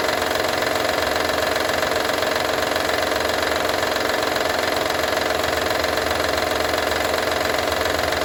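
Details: Honda Odyssey 2012 at steady idle: a fast, fairly even light rattle, about four per second, over the engine; owner asks what needs fixing, source of the engine rattle not pinned down.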